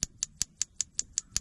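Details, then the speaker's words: Dometic RM 2652 motorhome refrigerator gas igniter after cleaning terminals, wires and ground and reconnecting 12 V: gas solenoid pulls in, crisp even ticks about five per second; igniter sparking normally. "And I cleaned these wires, and I'm going to hook my 12 volt back up and listen. Solenoid pulled in. It's ticking."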